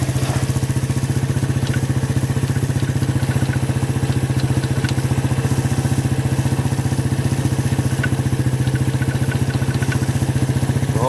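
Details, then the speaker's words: Suzuki quad raised on a jack with drivetrain running: fast, even rattle like loose metal, first suspected as the dry chain, traced to a dry chain roller that needs lubing. "the noise sounds like it's actually this rollway right here that's no big deal let's just Luber up"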